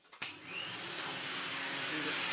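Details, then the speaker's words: Restored 1960s American Electrolux Automatic G vacuum with the straight suction head. After the switch-on click it settles into a smooth, steady airy rush with a high whine and no rattle; strong, healthy suction that clamps down well. "Hear the airflow. Oh, It even clamps down rather convincingly."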